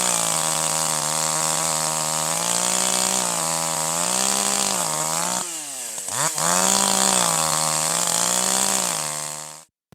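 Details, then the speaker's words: Older piston-ported chainsaw without electronic control, at full throttle with the high-speed (H) screw being leaned: screams with a slight wavering burble, four-stroking and smoke reduced, RPM and power up; mixture still slightly rich. "You can see here the four stroking reduces, the extra smoke is reduced, the RPM goes up, the saw has a lot more power. We're getting close to where it needs to be."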